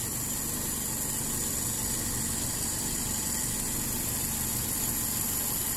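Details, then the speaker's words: Toyota Kijang 5K cold morning idle, 12 hours after valve adjustment (intake 0.20, exhaust 0.25): quiet, even idle hum under a steady hiss, no valve ticking, only cold-engine vibration; normal. "harusnya seperti ini suaranya menurut saya halus enggak ada bunyi di bagian klep cuman bagian di getaran saja karena ini masih dingin ya masih pagi hari"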